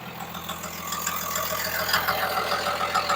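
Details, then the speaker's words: 2002 Ram 2500 Cummins 24-valve diesel, 6-speed manual, about 273,140 miles, new DDP 125hp injectors and Mishimoto aluminum radiator: faint even knock over steady idle, three or four per second, new since yesterday, cause unclear; light knock at idle. "Sounds like it's got a little bit of a knock noise into it now for some reason. It wasn't doing that yesterday."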